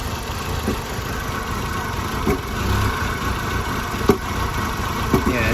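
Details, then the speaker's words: Audi A4 1.8T running cold during a thermostat replacement, needing to reach temperature to pull coolant through: uneven, lumpy idle with irregular stumbles; owner suspects coils or plugs, possibly the throttle body or intake air control valve. "up she's running a little rough i need it to get up to temp so like it'll pull the coolant through the engine"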